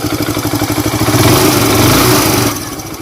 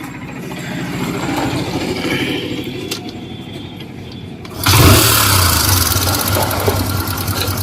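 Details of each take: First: Hero Super Splendor BS4 single-cylinder idling with steady thump and only faint residual valve tapping, after tappet and timing chain noise repair; much quieter than before. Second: Hero Super Splendor BS4 motorcycle with 23,808 km or more on the odometer: the engine starts and idles with a light, fast metallic ticking from loose tappets (valve clearance), plus a suspected timing chain noise.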